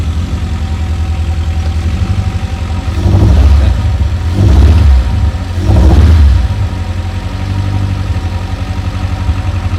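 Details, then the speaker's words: Rover 416 GTi non-runner that had previously cut out, starting after a new part was fitted: uneven, stumbling idle with an irregular beat and a few throttle blips; sounds like a misfire, cause unconfirmed. "Okay, sounds a bit misfirey."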